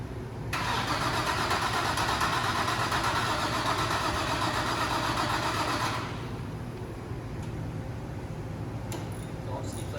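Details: Built, turbocharged Infiniti G35 first start attempt after rebuild: starter spins the engine steadily for about five seconds but it never fires; cranks but won't start, cause unknown, different spark plugs to be tried.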